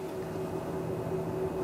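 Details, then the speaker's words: Anidees AI Crystal Cube MAR 3 PC case fans with rifle bearings on lowest speed mode: steady loud whooshing rush with constant mid-pitched hum; fans too noisy even at the lowest setting. "but the thing I kind of dislike about it is how loud these fans are it's they say it's quiet with their rifle bearings all but just listen to it right now that's at the lowest mode and I would personally say that's a bit too loud"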